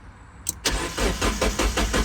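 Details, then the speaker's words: Mazda Miata abandoned in a field for over 10 years, fresh gas added: starter spins the engine at about five even pulses a second but it never catches. Rats chewed the crankshaft position sensor, which may mean there is no crank signal. Crank, no start. "If you look at the crank sensor, the rats chew the sensor up. So you're not getting a crank signal, you can't start the car."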